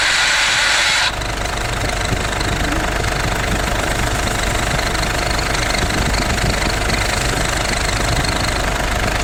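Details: Idling engine gets noisy when the air conditioning is switched on: uneven knocking rattle over a steady idle under A/C load. Source not identified.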